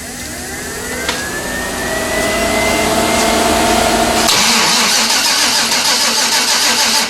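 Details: 1992 Chevrolet Silverado, 5-speed, turbocharged 5.3 LS swap: steady fast cranking around three beats a second that never catches; fuel pump on and fuel present, so fuel-fouled spark plugs are suspected as the no-start cause.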